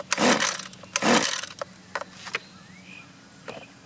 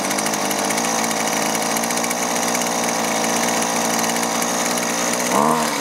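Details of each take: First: Husqvarna 128LD two-stroke string trimmer, choke on: two recoil pulls without any pop or catch; won't start because rotten leaking fuel lines kept fuel from the carburetor, fixed with new lines, filter and carb adjustment. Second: Husqvarna 128LD trimmer that wouldn't start, running after new fuel lines and fuel filter fixed fuel not reaching the carburetor; a high, steady buzzing rev holds clean without stumbling or surging, healthy before the low- and high-side carb adjustment.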